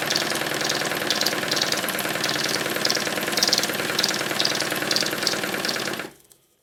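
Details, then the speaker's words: Stuart triple expansion model steam engine on live steam, cylinders still hot from the previous run so less condensate, started easily by rotating it; quick even chuffing with light clicks from the vacuum and water pumps and steam hiss, steady until shut off; runs quite well. "The strange clicking noises that you can hear are from the vacuum pump and the water pump. it seems to run quite well"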